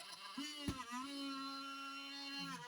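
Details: HP 15 laptop (15-cw131ur) whose fan is very noisy, especially at power-on: a steady, fairly loud whistle over faint fan noise. The fan is suspected to be dying.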